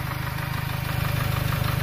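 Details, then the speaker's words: Ford Ranger 2.3–2.5 engine after a sticky lifter tick was fixed: even idle with a light, quick tick on every cycle, softer than the lifter tap. Source unclear, suspected a noisy injector or the minimal exhaust. "this is where the objectors are a little ticket that we're hearing now so it could be a noisy injector because without a doubt we fixed the lifter tech it's not"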